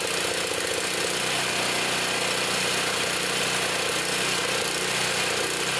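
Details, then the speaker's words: Trash-picked Toro Power Clear 621 E snow thrower, 163cc OHV four-cycle, previously wouldn't run, first start after repair, primed, choke on, warming up: fast steady putter, even beat, no misses or surging, sounds good. "sounds good let it warm up"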